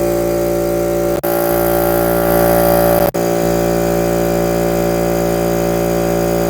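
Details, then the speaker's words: Air compressor running with decibel meter held close: loud, steady motor-pump drone at one even pitch, no knocks or rattles; healthy but noisy. "Decibel. Whoa, significantly louder."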